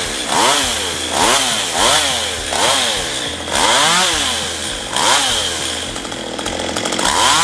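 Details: STIHL MS192TC two-stroke chainsaw that is hard to start and won't run steadily: revs surge up and fall back about every 0.7 seconds, uneven with popping, not holding speed; carburettor adjustment applied, possibly worn out.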